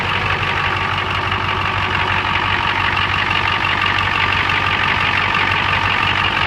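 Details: Ford 7.3 IDI diesel at idle: lumpy, uneven loping clatter near three beats a second, rough idle caused by a leaking fuel return line.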